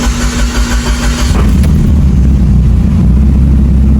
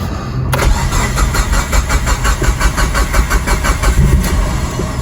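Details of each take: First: Built Mitsubishi Evo 8 brought back after many issues, in neutral with foot off the pedal, before a first no-boost pull: deep cranking flows into a firm, steady, loud idle with no misses or knocks; normal start. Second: Built Mitsubishi Evo 8, first start as received with idle air control valve disconnected: cranks and catches, then runs lumpy, surging and hunting; won't stay running without throttle.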